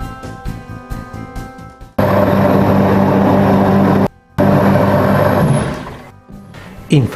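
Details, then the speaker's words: Sanisplit grinder/macerator pump for toilet and sink/bidet/shower waste, after disassembly, maintenance and reassembly with seals, freed from a stuck pressure switch: steady even motor hum with rushing churn, no stumbling; pump running normally. "il rumore che sentite è la pompa che sta funzionando."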